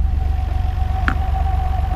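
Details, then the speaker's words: 1991 Nissan R32 GT-R, RB26DETT, at operating temperature after a low oil pressure fix: smooth, steady low idle with a faint even hum and no knocking or ticking; 22 psi oil pressure at 1,000 rpm, judged good. "22 psi at 1,000 rpm so we're good"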